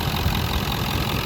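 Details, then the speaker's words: Diesel donor truck with blown up-pipe seals causing exhaust leak and 3-inch downpipe, idling: steady even low rumble, no knocks or misses; nice tight motor, compression test planned. "so this sounds like a nice tight motor sounds good"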